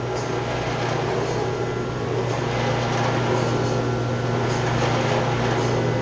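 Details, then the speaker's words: Chiller's chilled water pump shaking badly on its copper lines, making a loud, steady low hum with a rough rattling edge; a leak was found, and the strainer needs cleaning with the chiller and pump shut down. "Customer say it's shaking real bad. Goes. See what we got. Say it's shaking bad in the pump. Making a lot of noise."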